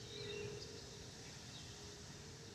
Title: Delta Airlines Airbus A320-212 N353NW DL2746 DFW-DTW (FOPP Whistling Sound)